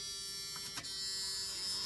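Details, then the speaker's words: '89 Suburban being rewired with a temporarily slaved push-to-start switch; the previously annoying warning buzzer sounds only sometimes: a steady, high, raspy electric buzz without a break; intermittent fault. "remember that noise I said was super super annoying we now love that noise"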